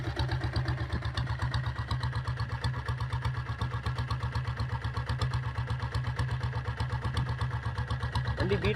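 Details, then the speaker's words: 2000-model Taurus diesel motorcycle: deep, steady thump at roughly 160 beats a minute, evenly spaced with no rattle or knock. Clean, healthy idle; owner says the engine is quiet unless revved. "Engine சைடில் எல்லாமே வண்டி rice பண்ணலைன்னா அமைதியாக இருக்கும். வண்டி rice பண்ணால் தான் உங்களுக்கு பீட் சவுண்டே கேட்கும்."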